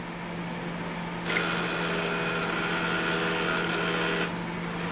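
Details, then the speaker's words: Master Chef countertop ice maker, replacement water pump after the original failed at about 1.5 years: steady hum with an uneven buzzing rattle while pumping; owner wonders if it's noisy from running dry. Cause unclear. "still doesn't sound great I wonder if it made that noise cuz it was dry I can tell you for a fact the other one was not dry when it was making that noise"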